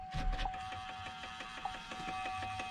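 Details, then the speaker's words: Duramax truck at power-on: rapid even mechanical ticking and whirring from dash as CD changer with a stuck disc keeps trying to eject or play it, CD light blinking. "got a CD stuck in there, and it is absolutely tripping out trying to spit it out or play it or whatever the case, but it eventually will give up. But it's super annoying, and it's always got that CD light blinking."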